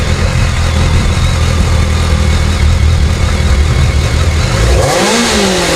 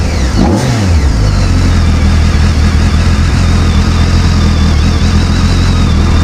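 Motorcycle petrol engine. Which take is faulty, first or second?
second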